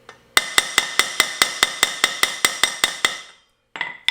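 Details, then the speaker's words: 2018 Yamaha FJR1300 front wheel bearing replacement, bearing lightly greased and driven into the hub without a press; even ringing metal blows about 2.5 a second until it hits bottom. Bearing fully seated. "Ideally, you'd want to use a press on this, but I don't have one. So. I believe she's down. You can definitely hear it"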